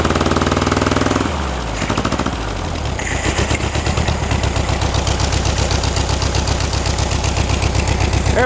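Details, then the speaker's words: 1960s air-cooled VW dune buggy revived after 10+ years: rough catch, then a steady, even chuff about four beats a second, idling nicely. Ignition timing is still thought slightly off. "Now it's idling. test the throttle down here. is idling nice."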